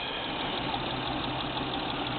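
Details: 1996 Nissan Maxima GXE at idle, codes P1320 (ignition signal) and P0305 plus knock sensor code; misfires persist after new coils and NGK plugs; steady idle with slightly uneven, lumpy beat, no sharp knock; cause unclear.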